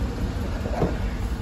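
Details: 2012 Cadillac Escalade 6.2L with misfire on cylinder 7: loud, lumpy, uneven idle with one dead cylinder; lifters stuck collapsed (cylinder deactivation), compression under 25 psi, per service bulletin PIP 4568S covering cylinders 1, 4, 6, 7; collapsed lifter misfire.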